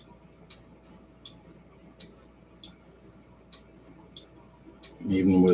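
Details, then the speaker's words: Relay for a Stryker 955 driven by a prototype BS270 MOSFET switching circuit: faint crisp single clicks about every three-quarters of a second in a quiet room; relay engaging and releasing normally. "as low as what we've got it it's still enough to go ahead and drive the relay and the relay the way i've got set up just so that you can you may or may not hear the clicking whenever i do that"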